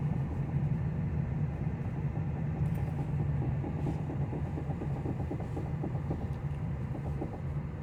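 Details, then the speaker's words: 2009 Pontiac G5 driving: road rumble with a fast repeating knock tracking wheel speed, louder when slowing, regardless of braking; cause found to be loosened lug nuts. "doesn't matter whether I step on the brake or not. It makes knocking noise. Now it's slowing down. The noise is louder. Knocking noise becomes louder when I slow down."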